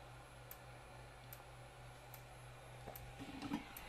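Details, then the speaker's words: Peachtree Audio Grand Integrated X1 stereo amplifier with a hum on one channel: faint sharp tick about once per second over low hum and fan hiss while the caps are heated with a hot-air blower; cause of ticking unknown. "so i'm not sure what the ticking sound is it's about one tick per second"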